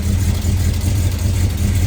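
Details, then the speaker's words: 1979 Camaro V8 after rocker arm replacement, just started, oil on headers: smooth deep steady idle, no ticking or misfire, sounds especially good at the back. Normal idle. "That sounds really good, especially in the back."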